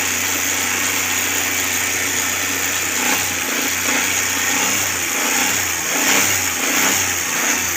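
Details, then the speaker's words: Carbureted Suzuki Cultus, CDI and coil replaced for misfire: engine held at raised revs with a smooth, even note. The engine runs at constant speed, and the dashboard rpm fluctuation is blamed on the gauge's small gears. "लेकिन engine constant speed प इसका जो है इस च रहा है"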